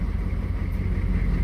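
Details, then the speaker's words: Short bus engine idling after a second new fuel pump was installed, replacing last month's pump suspected faulty (others suggested vapor lock); a low, steady rumble with no knocks or misses: normal idle. "listen to that the engine is running so the new the second new start not started chill pump is in and it's still"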